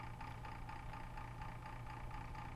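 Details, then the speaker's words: Webcor 210-1 reel-to-reel tape recorder, possibly from 1952 and 60+ years old, recapped except the electrolytics, back for a reel-scraping fix; tubes warmed up: steady low hum with a faint even whir. The motor is a little noisy but acceptable for its age. "you can hear the motor is a little bit noisy but what do you expect for something that's like 60 plus years old"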